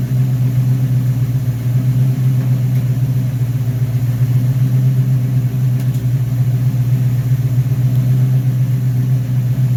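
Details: Rebuilt Rochester Quadrajet 7029202 from a 1969 Corvette (ethanol-damaged fuel bowl cleaned up), first start after rebuild: steady, even V8 idle, deep smooth rumble with no misses or knocks; normal idle.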